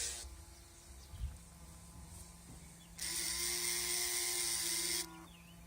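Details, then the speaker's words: New replacement Bosch headlight leveling motor for a Mazda 626 GF, bench-tested before fitting after the original stopped working: thin, high electric whir that starts and stops cleanly, even pitch, no grinding; normal operation. "Now we have to remove this one like that and place the new one, and the new one is working."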